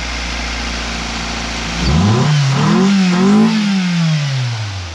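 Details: Integra engine from a new donor car, tested before the swap: smooth idle, then one clean rev that swells and eases back without stumble, rattle or knock; runs healthy.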